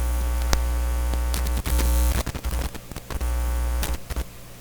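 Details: Nordmende Norma Luxus tube radio with tap-sensitivity, tube socket removed for bench testing: a hum that crackles, pops and cuts in and out irregularly as the tube is pushed in. Intermittent contact while the tube is only partly seated, going silent once fully seated.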